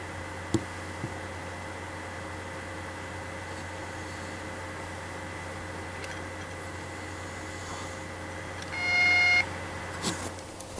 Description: Just got it back started making weird noises im not sure how to describe it buzzing clicking zapping but it makes this noise then it goes away and the noise comes at random times in games at the main xmb screen but it does not affect the system in anyway that I have seen thus far